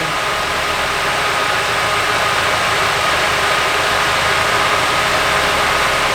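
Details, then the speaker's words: Nissan 240SX S14 Kouki SR20DET at idle: uneven loping stumble with hissy intake noise; unplugging injector three kills it while unplugging injector one changes nothing, so injector one is faulty. "I just unplugged the third one and it's dying. But look what happens when I unplug the first one. It stays the same. So it's the injector."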